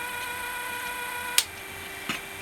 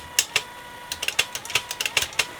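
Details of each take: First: Technics RS-M230 early-1980s cassette deck: thin steady motor whine straining to turn the mode gear, then sharp solenoid clicks as it frees; cause sticky gummed-up grease. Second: Technics RS-M230 cassette deck after belt replacement, power on with motors running: crisp light clicks as the transport shifts, faint steady motor hum; mechanism engages cleanly and sounds fine.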